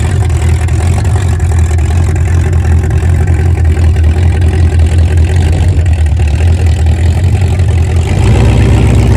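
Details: 1971 Mercury Comet GT 347 V8 after warranty repairs and engine reinstall, open headers with no mufflers or hood, test drive in snow: loud, deep, even rumble holding steady with no knocks or misses; normal idle.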